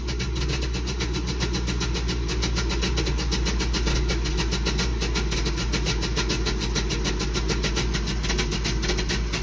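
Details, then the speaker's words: Toyota 22R engine held slightly above idle with a little throttle: slightly uneven, shaky pulse; sputters and dies off throttle; cause was carburetor float level too high, flooding it despite factory-spec setting. "he's not running like the best it's a little shaky but uh not"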